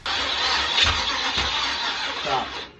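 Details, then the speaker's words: Chevy 305 small-block V8 from an El Camino, test-run before teardown: harsh cranking catches for about a third of a second, then cuts out and falls silent; the engine fires briefly and dies. "here's the clip of my downfall it only ran for like point three [ __ ] seconds"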